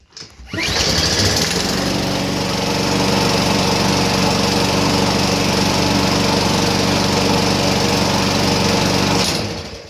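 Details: Weed Eater 500E series two-stroke trimmer after carburetor replacement (primer had only blown air, no start): high, even buzz holding steady speed, no stumbles or surging; running cleanly.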